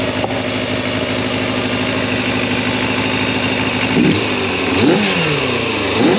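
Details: Fully rebuilt 1990 Kawasaki ZX250 four-cylinder at operating temperature after carb balancing: a smooth, even idle, then three quick clean blips that rise and settle without stumbling. The carbs are balanced and it runs healthy.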